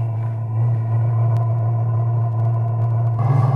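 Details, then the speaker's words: Chinese diesel heater in custom portable aluminum box, starting up: fuel pump ticking and ignition audible, slight smoke at first start, steady hum as fan and burner ramp up while warming; normal startup. "there you go you can hear the pump you can hear ignition it's blowing out just a little bit of smoke when it first starts up and she's starting to warm up"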